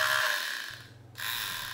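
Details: Frigidaire dishwasher motor: fast, even ticking over a spinning motor's hiss as the chopper blade strikes a pin in its housing; fixed without new parts.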